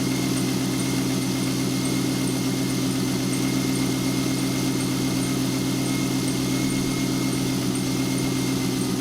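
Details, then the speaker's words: 2000 C5 Corvette V8 idling smoothly with a faint, quick, regular high chirp from the belt drive, much louder in person, heard before the serpentine and top belts are changed. "now I'm running the engine and you can hear the chirping but you really have to listen to hear the chirping"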